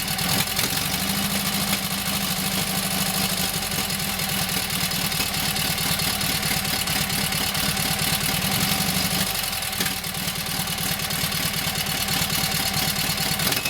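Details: Kohler KT17 twin, first start after governor rebuild: steady, even, smooth idle, no knocks or misses. Oil pressure 50, governor pulls throttle back, timing sounds good; carburetor high/low needs tweaking, plugs doubtful.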